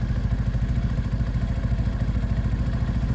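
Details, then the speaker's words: 125 motorcycle, one owner, 1,800 miles, idling before a test ride: steady, even low putter with a slightly raw, hard edge, no knocks or rattles; normal idle. "And actually this thing's got a bit of a rawness to it, a bit of a hard ass."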